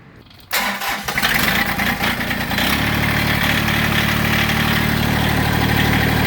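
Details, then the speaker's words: Massey Ferguson GC1710 sub-compact tractor diesel catches after cranking, then settles into an uneven, lumpy idle with a stumbling beat and heavy shaking, power loss; owner suspects a cylinder misfiring or not firing, not confirmed. "now I idle it down and you can see how rough I mean I I can't I wish I could show you how much this knob is moving but it's bouncing tremendously everything is just everything's shaking"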